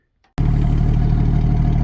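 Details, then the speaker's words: 1977 Ford 300 straight-six truck after a valve cover reseal (no more smoke) and carrier bearing repair: it fires up and settles straight into a steady, even low idle with no misses, ticks or knocks. Normal, healthy idle. "Listen to that thing purr. Just getting better every day."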